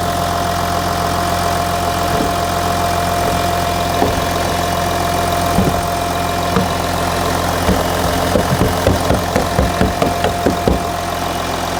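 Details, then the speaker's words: Audi Q7 3.0L diesel idling after new Audi cylinder 4 fuel injector fitted (was P0272 cylinder 4 misfire, P0087 low rail pressure, combustion leak); steady even idle, no misfire stumble, check engine light off; normal idle. "the engine sounds great so now let's go in the vehicle and rev up the engine check engine light is off let's rev It Up the engine is no longer misfiring"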